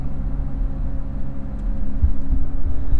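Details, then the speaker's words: GMC Envoy/Trailblazer, about 262,000 miles, driving on highway: low steady rumbling growl like big tyres, grinding road noise, quieter when right side unloads in turns; worn front wheel bearing hubs, both to be replaced. "to me it sounds like I'm driving on big 35 down the highway and it's got a real bad you know road noise grinding noise almost"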